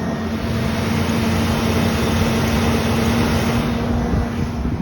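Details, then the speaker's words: 2002 Ford Explorer after fuel pump replacement fixed its no-start: loud, steady, even idle with constant low hum, no misses, knocks or surging. "Kicked on, sounds great."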